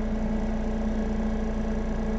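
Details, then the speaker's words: Medical grade air compressor, restarting at start pressure after draining some air, following a slight purge: steady even hum with constant low pulse and clean mid tone, no knocks or rattles; running beautifully. "this is all running beautifully like i said guys compressors are not that complex of devices"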